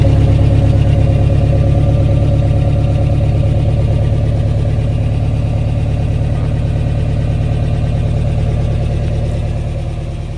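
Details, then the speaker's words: 1993 Toyota pickup 22RE with a newly installed Redline Engine Builders Beast camshaft, true first start before break-in: deep, even pulse at about 1,000 rpm idle, steady rhythm with no knocks or misses; healthy fresh start. "Yeah, then we're going to break it in, and she sounds mean."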